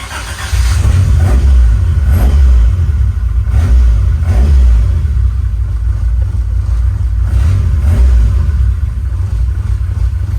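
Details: AE86 with ITBs on its first run in a decade, with a new computer for its ECU and a cat-back exhaust. Crisp free revs that drop back cleanly, then a steady lumpy idle with no knocks or rattles: healthy running.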